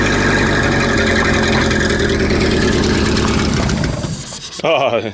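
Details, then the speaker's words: Renault R10 after 20+ years sitting: strong even beat for four seconds, then coughs and dies as fuel runs out; no blue smoke. "what I did notice there was there was no smoke coming out of the no smoke coming out of the exhaust pipe there was no blue smoke there was nothing"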